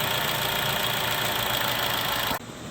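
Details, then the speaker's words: 2011-2016 Chevy Cruze idling after replacing the valve cover PCV diaphragm, which had been sucking in massive amounts of air; smooth constant hum with a light hiss, no stumbling or hunting, idling better. "But it seems like it's idling better just sitting there."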